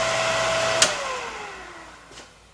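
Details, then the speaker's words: Used Breckwell/Facso pellet stove combustion exhaust fan from a Breckwell P24I, running on an open bench: steady clean motor whine, click off, pitch gliding smoothly down as it coasts, no loud noise, squeal or squeak; normal operation. "So there it is, no loud noise, no squealing, no squeaking, nothing."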